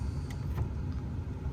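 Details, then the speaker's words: 1997 Chevy Silverado heater blower after a new blower resistor was installed (old one failed, fan previously worked only on max and the motor squeaked): steady, even airflow hum on all settings, no squeal; normal operation. "sweet so now that means it's just working on all the settings here so that's good to hear"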